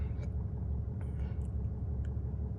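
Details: Ram 6.7 turbo-diesel dually started after oil change with 5W-40, oil life reset; deep steady diesel rumble at idle, even and low with no knocks or ticks; idling normally.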